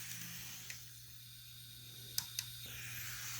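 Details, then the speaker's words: Plain DC model locomotive without a sound decoder, placed on DCC track powered by a Bachmann EZ Command in analog mode: standing still, it gives a steady low buzz with a faint high whine. The DC motor is straining on DCC track power. "this engine does not have a sound decoder that is the molder making sorted circuit making some kind of weird noise that's not what's supposed to sound like"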